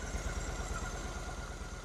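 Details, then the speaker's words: Twin-carb Honda Shadow VT750 V-twin idling right after the carb sync adjustment; the vacuum readings are now very even. The idle is a steady, even low putter with regular firing pulses and no stumble: normal idle with the carbs balanced. "they're even very very even"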